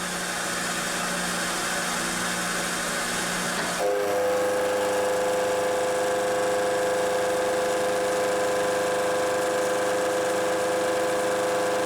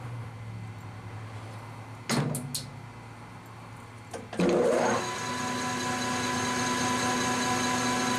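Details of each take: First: Milling cut on an aluminum workpiece for a turning-tool height gauge: steady machining roar with sustained ringing once the cutter bites; the large depth of cut (about 0.350 in to take off) causes heavy vibration shaking the camera. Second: Lathe turning a part after setting tool height with a shop-made cutter height gauge: a few clunks, then a steady unbroken cutting tone with no interrupted-cut chatter; tool cutting on axis, smooth continuous cut.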